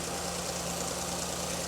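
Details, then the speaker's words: Porsche Cayenne after auxiliary belt tensioner replacement and water pump bolts retightened, previously squeaking loudly: steady, even idle with a smooth hum and no squeal or rattle; squeak cured. "No noise. It's almost like I did that by the power of touch."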